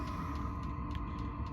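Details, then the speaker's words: Van diesel heater starting normally: steady fan hum with a thin whine and faint ticking about four times a second from the fuel pump. "So if you want to hear my diesel heater and how, like, not that loud it is, you can hear. It's kind of noisy because it's just turning"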